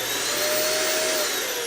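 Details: Riccar upright vacuum, main motor only: a smooth, high-pitched whir holds steady with a faint clean tone and no rattle or scraping. The motor runs healthy.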